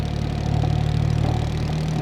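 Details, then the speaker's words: 1972 Triumph GT6 with TR6 engine, twin carburetors, cold chilly morning: low idle with a faint uneven pulse and slight hunting, running lean on the back carb; owner guesses its float, refitted with a different float, needs adjusting. "You can hear it's going lean on that back carb. I'm guessing it just needs the float adjusted more."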